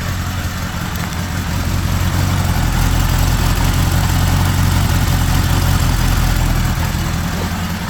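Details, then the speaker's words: 1975 Honda GL1000 Gold Wing flat-four after water pump reinstallation and reseal: smooth steady idle held slightly high because choke still on, no knocks, no coolant leak; fast idle on choke, running fine. "That sounds pretty good right there. Idling a bit high, but the choke's still on."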